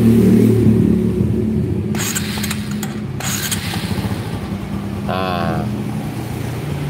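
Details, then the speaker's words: Honda Supra motorcycle that lacks power and tops out at 100 km/h: at idle a light, steady tapping knock rides over the single's thump; mechanic attributes it to a rough, worn crankshaft bearing. "ini posisi stasioner terdengar suara stroke stroke di telinga saya nggak tahu di layar tonton kalian inilah kruk asnya bermasalah jadi lahernya kasar"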